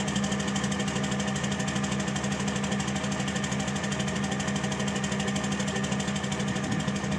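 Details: 2006 Cummins diesel idling with clatter and a lumpy pulse about three times a second over a steady hum; rough idle.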